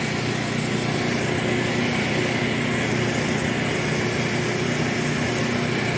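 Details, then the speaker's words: Newly painted dryer running: smooth, constant, even hum with no thumps, squeals or scraping; very quiet, normal operation, though it is dirty inside and due for cleaning. "Working condition, who knew? Alright. I just did a little paint job there, get the brown off it, good to go, very quiet, too."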